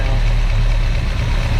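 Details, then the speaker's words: 1965 Ford Mustang V8 after timing reset to about 8–10° BTDC: low, lumpy idle with an uneven beat and hesitation; owner suspects one side of the carburetor is clogged as its idle mixture screw has no effect, likely needing a rebuild. "yeah this one side of this caror must be must be cloged up because the mixture screw is not doing anything on this side probably have to rebuild this"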